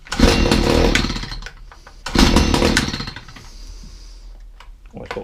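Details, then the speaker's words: Stihl HS45 two-stroke hedge trimmer, reported hard to start, primed and choked: fires and revs cleanly in short buzzy bursts without sputtering; runs fine, hard starting thought due to spark plug half hanging out. "yeah that's fine no problems with that I think his his starting in two because the spark plug was half hanging out"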